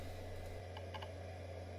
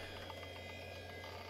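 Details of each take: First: Roughly 30-year-old Quantum IDE hard drive (520 MB) that initialized and was detected fine, then began repetitive clicking while booting Windows 95: a soft hum with a sharp double click about once a second. The drive is failing, and formatting later hung. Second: Roughly 30-year-old Quantum Fireball 540 MB IDE hard drive (BIOS detects 520 MB): typical initialization sound at power-up, a steady spindle hum with a faint high whine and light regular head ticks, which sounds healthy.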